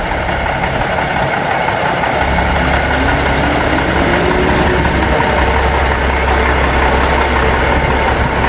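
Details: Seddon Atkinson 311 Cummins diesel truck yard find, flat batteries, air building up after start: loud, steady, even deep idle with no knocking or misfire, said to sound sweet as a nut and hold all its fluid; normal idle.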